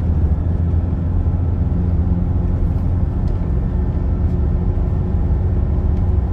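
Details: Toyota Hilux 2.5 after repair of vibration at 50 km/h and a bearing noise at 80 km/h, test drive at 80 km/h: even, steady low road rumble with no bearing hum or rhythmic vibration; driveline healthy.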